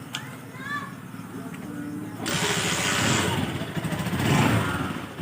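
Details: TMX Alpha single-cylinder motorcycle with a hard-starting problem: quiet at first, then the engine fires and catches, and the revs climb and blip cleanly. It starts and revs normally.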